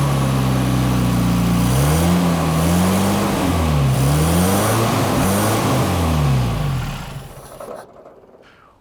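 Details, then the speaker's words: Toyota RA28 Celica Fastback on a quarter choke on a warm day: the engine runs, but the idle speed wanders up and down about every second, then dies away. Owner is unsure whether the right vacuum lines were blocked off. Rough idle. "so that's running pretty well it's not idling as it should uh but like i'm not really sure whether i've blocked off the right amount of vacuum lines and things like that"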